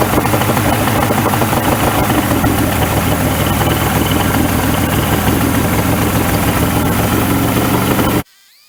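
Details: 1994 Suzuki 115 two-stroke outboard, cover off, after a 15-minute hot soak in a cheap DIY fix for stalling: loud, fairly steady burble holding an idle without dying, then cut off sharply. It would not idle earlier; running acceptably now.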